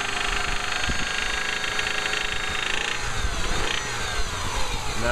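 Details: Rod knock in a 2005 Subaru Outback 2.5L: a rough, heavy knocking under the idle from a worn connecting rod bearing, with no warning lights on; the engine needs replacing.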